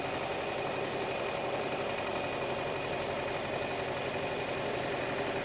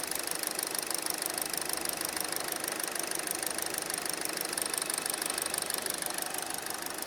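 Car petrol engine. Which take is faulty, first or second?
first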